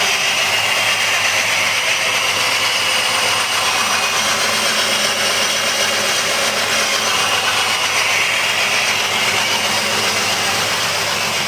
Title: 2005 jeep liberty rough idle